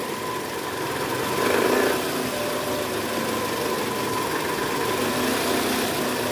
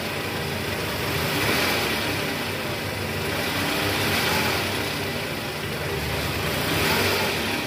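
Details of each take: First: 2010 Toyota Camry 2AZ-FE, mic near oil pan, at cold start: rough gravelly rattle low in block over steady idle; worn loose balancer shaft, confirmed by stethoscope and teardown. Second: 2010 Toyota Camry 2AZ-FE, 127,000 km, heard from the side after the crumbled balancer shaft was replaced. A steady, smooth idle with no knocking or rattle; the engine sound is back to normal.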